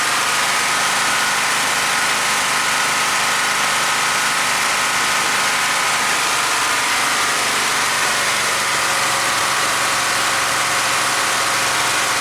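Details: Chevelle V8 whose oil pressure warning light never comes on, on a mechanical gauge test reading 44 psi at 730 rpm idle: settling into a steady, even idle with a slight speed change midway and no knocking or tapping; normal idle.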